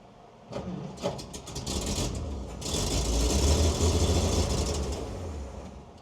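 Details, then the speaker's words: Chevy truck: starter churns at three to four turns a second with no firing; cranks without starting, likely out of gasoline in the tank. "now I think we're got I think we're out of gasoline in the tank"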